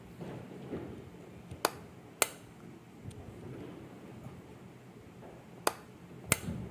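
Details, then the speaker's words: Top-load washing machine pressure sensor (water-level switch) bench-tested by blowing air through a small petrol pipe: sharp crisp clicks in pairs as air is puffed in and let out; switch snapping over properly, normal. "మీకు ఈ sound వినిపిస్తూ ఉండొచ్చు. నేను pressure ఇచ్చినప్పుడు టక్ అనే sound వస్తుంది."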